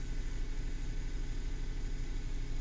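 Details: Suzuki Every 62V kei van left unused about 4 months, started on its own winter battery without the jump starter: low, smooth, even idle rumble, no misses, knocks or hunting; healthy small petrol engine.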